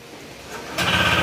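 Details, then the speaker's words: Honda ADV160 scooter at 24,941 km that was using oil, with a cricket-like noise, run with the CVT cover removed. It revs from a rattly idle into a clattering run, the knock rising with revs; CVT, magneto and top end are ruled out. Connecting rod knock. "Ayan, ibig sabihin wala sa panggilid, wala rin sa magneto, wala rin sa ibabaw, mismong sigunya lang problema, connecting rod."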